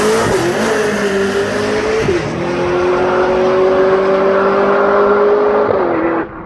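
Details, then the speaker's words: Drag car on a dragstrip pass: screaming high revs climbing through gear changes with rough popping and banging; driver suspects it hit a limiter or ran really lean, not confirmed; still ran a 1.35 60-foot. "well that sounded terrible popping banging I think she might have hit a limiter it that was just awful"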